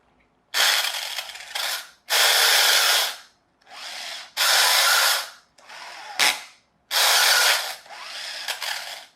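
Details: Chicco Jimmy toy RC car converted to hobby grade: bursts of high motor whir about two seconds each that sputter and drop out under load as the gearbox's suspected protective clutch slips in forward but not in reverse.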